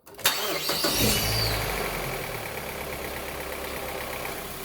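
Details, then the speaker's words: 2008 Mazda 3, 2.0 L FWD, being started after an oil change during a transmission service. The starter whirs, the engine catches with a rev flare, then settles to idle with some top-end clatter that is put down to the oil change. "In case you're wondering, we did an oil change, that's why it sounds like that."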